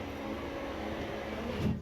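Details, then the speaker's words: 2011-2014 Hyundai Sonata front door, after glass replacement, window run up and down: smooth even motor whir ending in soft stop thump, no crunching or binding; power window works normally. "i'm going to turn the key on and plug the window back in again i'm going to run this up and down a couple of times"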